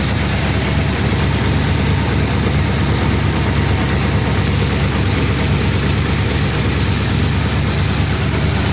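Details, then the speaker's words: Big-inch 286 cu in flathead (3-3/8" bore, 4" stroke) in a Pendine beach-race car, first start after filling oil and coolant: steady, even low idle rumble with no knocks or misses; normal healthy idle. "wow it runs i love that noise"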